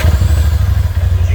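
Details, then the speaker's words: 2020 Polaris 1000 Turbo after swapping the original fuel pump for a Quantum pump, primed by cycling the key four times; fires straight away into a deep, even, throbbing rumble with no stumble or misfire: clean, healthy start. "see the machines fired right up and it's working like a charm"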